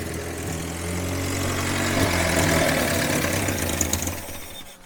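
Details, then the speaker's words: Grandpa's long-sitting 1954 Willys military Jeep, first start after revival: uneven lumpy idle holds a few seconds, then sags and fades out as the engine dies; stalling at idle. "Should have known as soon as I grabbed the camera it would die."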